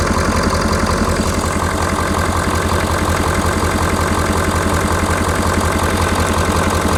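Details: 2019 Ford F250 6.7L Powerstroke diesel, hot, idling just after an EGR cooler upgrade, recorded outdoors in wind: a steady, smooth idle with even clatter and no stumbling or odd knocks. No coolant leaks, nothing unusual heard, so the engine is running normally.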